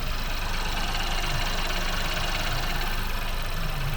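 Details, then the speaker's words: Ford 1.0 litre EcoBoost three-cylinder, saved from scrapyard after permanent oil warning, first start with coil packs reconnected: smooth even low hum with fine patter, no knocks, oil light out, normal idle like a sewing machine. "Bloody perfect. Listen to that. It's like a little Singer sewing machine."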